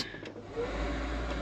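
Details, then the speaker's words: Tractor cab AC after circulation motor replacement: short whir-up then a low, steady hum from the new motor with the regular blower motor also running; normal operation. "you can hear this guy running we've got the regular blower motor running as well"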